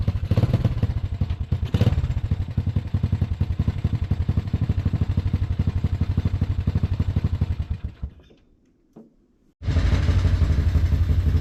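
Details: Four-wheeler single-cylinder engine swapped into a golf cart: chugging about four beats a second, uneven and stumbling, nearly dies then recovers, because the choke was left out; runs well with the choke off.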